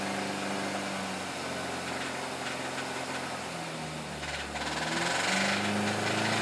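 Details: 2005 MINI Cooper S petrol engine revving up and down with a steady clacking/clicking tick riding over its note.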